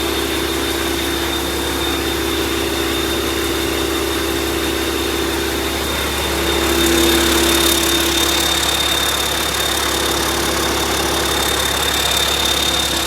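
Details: YaMZ-650 diesel on a test bench, in for repair after an overhaul done elsewhere: a steady, even clatter with a fast regular beat and constant pitch, no knocks or misses; normal running.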